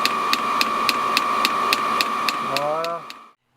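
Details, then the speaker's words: Motorhome diesel heater fuel dosing pump ticking sharply about three and a half times a second over steady fan hum, loud enough that owner plans to insulate it to reduce noise; noisy fuel pump ticking. "c'est dedans ça va faire moins de bruit faut que je l'isole aussi cette compte c'est vrai que ça fait du bruit"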